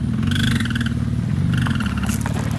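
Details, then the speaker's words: Wrecked Porsche 911 Turbo being rebuilt, after a launch: short frog-like squeaky chirps in quick bursts over low idle rumble, began after the launch; probably something rubbing, unconfirmed. "there's a frog in there dude it's probably just something rubbing honestly"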